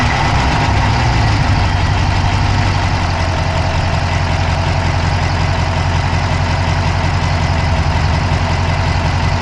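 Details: Dodge Charger Hemi V8 at steady idle, recorded inside the engine bay on the passenger side with an Insta360 Go3: quick, light ticking rides on top and keeps pace with engine speed; a fast tick at idle, source unclear.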